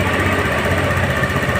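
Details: Honda Beat FI scooter after the ECU starter wiring jumper fix for a harsh starter with a weakish battery: steady, even low putter with no misses or knocks; idling cleanly.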